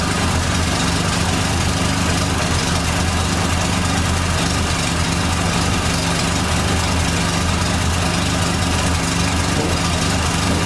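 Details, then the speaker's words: 1989 Dodge Daytona ES salvage-yard car: steady idle with a thin constant whine that does not change pitch, noted as power steering pump whine. "so i'm gonna fire this thing up hopefully it runs right no issues here we go whining noises the power steering car"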